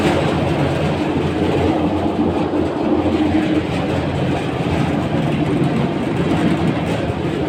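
Loud continuous rattling clatter with a rough rumble underneath, steady with no speed change; worn drive-end bearing on the blower.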